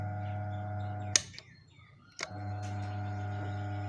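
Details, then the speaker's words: Hatari stand fan on speed 3 after repair: steady even motor hum broken by two switch clicks, no rattle; previously slow and noisy from a weak capacitor (3.5uF reading 1.9uF, replaced with 4uF) and a worn front 6202 bearing, replaced. "เดี๋ยวสุดแล้วนะเบอร์3นะเงียบแล้วนะไม่มีเสียงดังแล้วนะฮะ"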